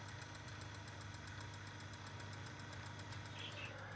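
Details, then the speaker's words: Philips car cassette radio: faint, fast, even ticking about six per second over motor hum; suspected cracked flywheel outer edge coming apart and hitting something, a common Philips flywheel failure, not confirmed. "That normally means that the flywheels are starting to become a starting to come apart."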